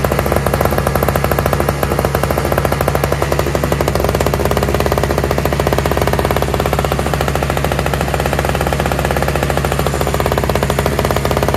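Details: Toro/Craftsman single-stage two-stroke snowblower with electric start, running on fresh mixed gas after priming; fast, even buzz at steady pitch with no misses or surging; all it needed was gas.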